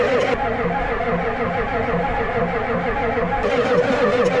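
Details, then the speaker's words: Ford 7.3 IDI diesel after fuel bleeding and a fuel change: steady cranking with about two compression pulses a second that never catches, no smoke, faint diesel smell. Cranks but won't start; fuel suspected, not confirmed. "there ain't no smoke maybe she's just so used to running on radioactive horse piss she's not used to this fancy 1202 she wants 1267 a mixed batch"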